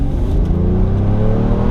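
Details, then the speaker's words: Mercedes S600 V12 on its first test drive after the misfire was fixed with a new coil pack, accelerating in Tiptronic mode. Smooth, strong rise in engine note under load with no stumble or miss; the engine runs much better now. "Wait a second, we got Tiptronic. All right, Tiptronic. It runs so much better now, guys."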